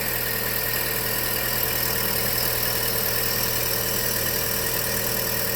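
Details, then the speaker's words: 2012 Chevrolet Sonic at idle after a new accessory belt was installed at the alternator, which was suspected along with the belt tensioner for a strange noise; steady, smooth low hum with no squeal, chirp or rattle, noise gone. "ahí está el alternador y vamos a probar está trabajando ya para si queríamos escuchar el sonido raro que se escuchaba por este lado"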